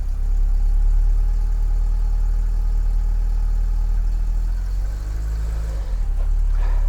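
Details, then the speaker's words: Mk2 VW Golf with Weber carburettor and mechanical fuel pump, just started after months sitting and a long dry crank; cold engine on choke, steady slightly fast tickover with deep even drone, no misses; normal. "So anyway, look, it's started now, it's ticking over, so choke is on and all that. I'm going to let it tick over for a while."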